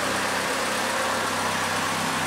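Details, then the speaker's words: Second-hand Triumph Dolomite 1300 engine (large crankshaft end float) just fitted to a Gentry MG TF Replica, ticking over at temperature with almost 75 psi oil pressure: smooth, even tick-over with a steady low throb and no knocks; a healthy warm idle. "In the meantime, she's still ticking over, almost 75 pounds oil pressure, and she's up to temperature as well, so it's looking good."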